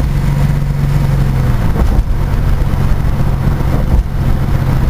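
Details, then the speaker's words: Chevrolet S10 Blazer 4x4 V6 with exhaust needing work: deep loud rumbling idle with a few throttle blips, running evenly but noisy exhaust. "like I said we got some exhaust on this thing and uh should be running good"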